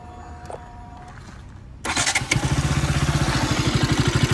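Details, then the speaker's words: KTM RC 200 at its second service, engine under warranty: quick start, then a rapid regular tapping clatter at idle that goes away when revved. The service says low engine oil level causes it. "அது என்ன சொல்றாங்கன்னா oil level கம்மியா இருக்கும். அதனாலதான் வருதுன்னு சொல்றாங்க."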